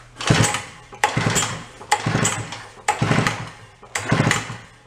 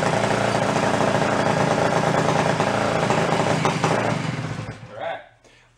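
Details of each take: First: 1961 Centaur 49cc folding suitcase scooter two-stroke, stored 40–50 years, pull-started with no choke and a little throttle: five quick whirring pulls about a second apart, none fire. Cranks but does not start. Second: 1961 Centaur 49cc folding suitcase scooter two-stroke, stored 40–50 years, choke off: busy, even buzz holding steady several seconds before shutoff. Normal running.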